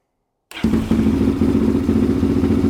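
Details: 2005 Yamaha Raptor 660 (bought running poorly, died on throttle) on choke: rough uneven single-cylinder revving with sharp gunshot-like pops every few tenths of a second, fire out exhaust and back through intake; owner thinks it smells lean, may need idle mixture screw tuning.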